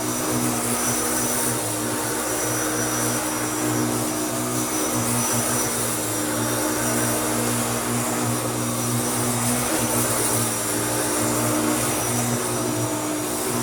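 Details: Restored Hoover Turbopower U2724 upright vacuum with a new belt, cleaning a stiff wall rug: steady, even motor hum with constant pitch, no surging or rattles; normal running.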